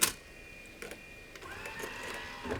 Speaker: Okay, made a whole bunch of noises. Let's try the eject button. Okay, so at least it ejects.